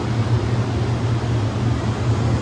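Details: Aldonex T-418-4CRF-CCV 400 A, 0–18 V air-cooled rectifier, 480 V 3-phase input, remote ramp controls, tested in good working condition: steady, even fan rush over a low hum, no rattles, ticks or surging; quiet, normal running.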